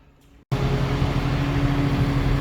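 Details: Two-stage central AC outdoor unit whose compressor and fan were not running while the thermostat called for cooling. With the disconnect reinserted, after half a second of quiet the compressor and fan kick in together and settle into a steady low hum: normal startup.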